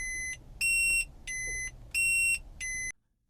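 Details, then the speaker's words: Toyota/Lexus integrated dashcam gives five alternating low and high electronic beeps, signalling a microSD card read/write error; fix is to remove, reformat and reinstall the card; memory card error warning beeps. "what this error message is telling us is that there is an error with the SD card."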